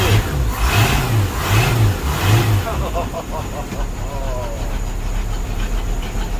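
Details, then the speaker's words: 1987 Stingray cuddy cabin Mercruiser engine after a starter, trim pump solenoid and wiring replacement following Hurricane Ian; first start since the storm, revs up and down cleanly with a steady burble, no starter whine; running normally. "we got her running you hear that that's the first time she started up since uh last November After the Storm"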